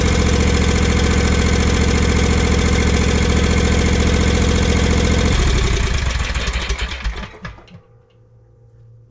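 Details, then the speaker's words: Kawasaki FS541V V-twin on an Exmark Vantage S stand-on mower, previously popping, cracking and weak with blades engaged; after repair a steady, even beat at smooth idle with no popping or stumbles, then clean shutdown: normal running. "Runs just beautifully. Heat up here. Not too terribly bad to diagnose with these symptoms on this engine."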